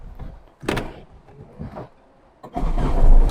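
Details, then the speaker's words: Tata Indica mechanical diesel: brief clunks, then it catches at once with no long cranking despite being a heat-to-start engine, settling into a steady run; normal quick start. "Long സെൽഫില്ല കേട്ടോ, ഒറ്റയടിക്ക് start. ഫസ്റ്റത്തെ starting ഇത് നല്ലൊരു കയറ്റമാണ് കേട്ടോ, പ്രശ്നമൊന്നുമില്ല, ഉഷാറാണ്."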